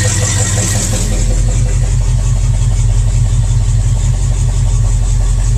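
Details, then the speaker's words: IH 345 V8 in International Harvester 1210 pickup, first run after sitting a decade and broken pushrod replaced, still burning stuff off: even, steady idle with a loud, rough exhaust note; engine itself runs smooth. "aside from that sounds great I wish the Scout ran this good"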